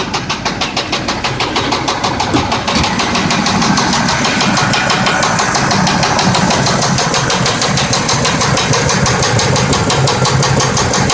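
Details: 1992 Buick Roadmaster that lost power on the freeway and then sat for over a year: sharp, regular knocks about three per second over the idle, keeping pace with the engine. Owner suspects rod knock; not confirmed.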